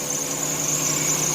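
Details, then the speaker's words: Squealing serpentine belt at idle on a 1990 Chevy Lumina Eurosport 3.1 V6; the belt is fairly new, and the owner blames a bad belt tensioner and crank harmonic balancer, both due for replacement; steady high squeal over the low idle hum. "to be done to the engine as well as a belt tensioner crank harmonic balancer needs to be replaced because both those two items are making the belt squeal the belt's not even that old"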